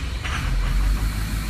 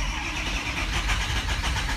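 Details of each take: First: Diesel truck after replacement FICM, passed self-test, 48.5 V module supply, number three injector bad: catches with a brief uneven stumble, then settles into a low, steady, even rumble, starting and running smoothly. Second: Diesel truck with faulty FICM (injector control module) and a bad number three injector: short even crank with no firing pulses at all, won't fire; the module is swapped afterward.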